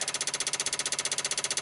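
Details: 1995 Dodge Ram V10 cold no-start, engine off: after replugging ignition module the PCM 8 V reference rises to 6 V and relays chatter about twelve sharp even clicks per second.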